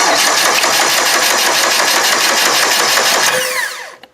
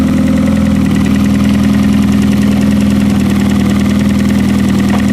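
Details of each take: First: Demolition derby car, starter jumped with a screwdriver before a push-start is fitted, cranks steadily at about four beats a second with no firing; fuel line likely drained and fuel pump left off. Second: Demolition derby car engine with oil filter delete and push start, old fuel drained, oil bypass working, no leaks: steady even hum with constant pitch and no misses or knocks; normal smooth idle.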